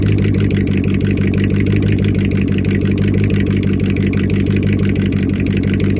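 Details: First start-up after a week down due to a bad alternator, a faulty Amazon unit whose pulley bearings were believed bad and screamed: steady, even idle with a low smooth beat, no squeal or knock; the engine sounds healthy.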